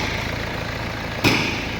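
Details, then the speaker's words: Mercedes-Benz CLS W218 after repair with a short block, new oil and exhaust refitted, just started: smooth, even idle with a steady low drone and no knock. "แล้วติดได้แล้วนิ่งๆนิ่งเครื่องนิ่ง"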